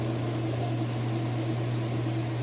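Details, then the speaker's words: Kenmore top-load washer (matching set, refurbished for resale, top being refinished) in spin cycle, lid switch working: very quiet, steady low hum spinning fast with no knocking, scraping or wobble; balanced and healthy. "It was so quiet running over here. But I'm going to show you that it is running nice and fast."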